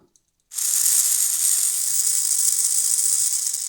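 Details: Old Hornby Class A4 Mallard model locomotive with botched DCC conversion, motor bench-tested on stripped wires: thin, hissy high-pitched whir with a rattly edge, spinning very fast; gears running dry, wanting oil.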